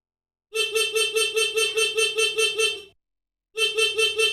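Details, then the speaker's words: Motorcycle horn wired through an adjustable custom turn-signal flasher relay (turn right slower, left faster): bright horn tone chopped on and off about 2.5 times a second, pulsing as intended. "Untuk menyetel klakson flasher ini, untuk ke arah kanan itu agak lambat, suaranya biar lambat, dan ke arah kiri biar cepat."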